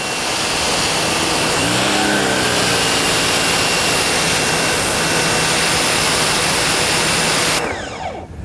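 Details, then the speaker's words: Nilfisk C110 pressure washer with flat stream nozzle: water drawn into the pump as it builds pressure, then steady high spray hiss over an even motor-pump hum, no surging or knocking; normal operation. "There you heard the pump operating, pushing water, getting water up to pressure, so that when I release this trigger."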